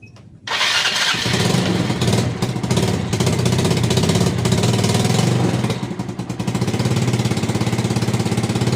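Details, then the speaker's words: Motorcycle that would not start after sitting over the Lebaran holiday with a flat battery, started after about half an hour on a charger: the starter catches within a second, then a steady, even idle with no misses. "Apakah sudah nyala? Kita starter dulu. Semoga bisa nyala."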